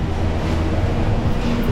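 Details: Nissan whose owner said it "sounds like it's dying": loud, steady low rumble and droning growl while driving, with no knocking; diagnosed as a worn hub bearing, which is then replaced.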